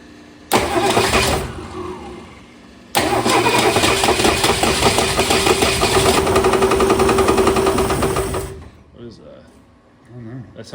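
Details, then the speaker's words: 1962 Ford Falcon with freshly swapped replacement engine, first start after sitting (plugs out, WD-40 in cylinders to free it): catches, dies, restarts and runs rough with rhythmic ticking knock ~3–4/sec; engine suspected, exact source not pinned down. "See, can you keep it running with the throttle? Sounds rough. That's definitely the engine."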